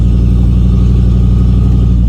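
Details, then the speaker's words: 1989 Ford F-250 big-block V8, hot after a 10-minute drive, ignition control module moved to the fender to cure hot no-start: right after the hot start it burbles deep and steady with no stumble or misfire and holds a clean idle. "It's definitely hot enough now. So if it cranks up, then maybe moving the ICM fixed it."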